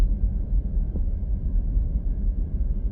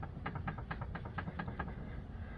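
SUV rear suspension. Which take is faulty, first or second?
second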